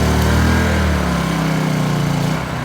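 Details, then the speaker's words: Honda EU2200 generator with a Hutch Mountain propane kit, running on several-year-old 100LL avgas while powering two heat guns (one high, one low). Steady, even drone at high speed with no hunting or misses. Carries the heavy load fine. "you can hear the generators running under a pretty heavy load for this little fart anyways, and runs it just fine with several-year-old Avgas."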